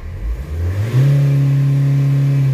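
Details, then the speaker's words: Nissan/Vauxhall/Opel after EGR valve cleaning and connector re-pin: on a drive, engine revs cleanly with no hesitation or stumble that was heard before cleaning, no smoke; fault fixed. "that just rents so smoothly now and when we look in the rearview mirror nowhere no smoke no nothing"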